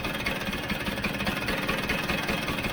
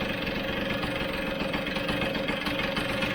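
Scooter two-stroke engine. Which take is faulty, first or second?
second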